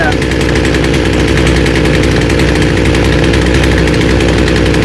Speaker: Okay, now she's going down to idle and she's idling nice. You notice the chain's not moving.